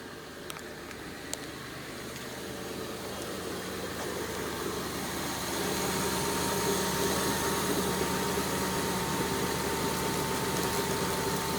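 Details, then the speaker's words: 2002 Kia Sedona EX, new timing belt, water pump and timing belt pulleys: steady low growl with faint whine at cold idle, worse in drive when cold, unchanged by squirting water on belts; suspected power steering or serpentine drive, unconfirmed. "you hear the noise especially like if you uh you put it in drive and the rpns go down at night when it's cold it's pretty nasty once it warms up it goes away"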